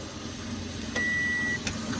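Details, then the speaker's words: Toyota Aqua hybrid after fixing code P0705 (loose transmission range sensor/neutral safety switch connection, fault cleared): one clean half-second chime over a quiet cabin as the ready light comes on; hybrid system starts normally. "the ready signal on the dashboard. See, so right now everything is working perfect."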